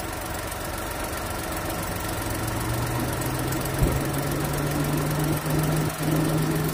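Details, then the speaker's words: Volkswagen Polo petrol at idle with AC on, after the cut fan/thermostat wiring was rejoined: the engine ticks over evenly, then a low steady radiator fan hum joins a little later and holds. The cut wiring was the problem. "AC on చెయ్ మన compressor on అయిపోయింది. కొంచెం సేపు అయినాక fan on అయిపోయింది. నా fan be on అయిపోయింది."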